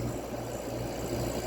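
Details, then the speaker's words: Older 1970s–80s Oasis refrigerated drinking fountain, R12 refrigerant, just started with tubes warming and condenser fan spinning freely: quiet steady low hum with a soft whir, no knocking; only a little compressor noise, running normally. "It's not very loud either. That's all you hear. A little bit of noise out of the compressor."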